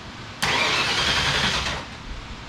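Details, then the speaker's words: Mustang engine not fired up in a while, cranked on attempt three after a stray wire was fixed; about a second of steady, fast starter cranking with no firing, done to prime oil and fuel before starting. "All right, so we're just getting ready to crank again. Attempt number 3."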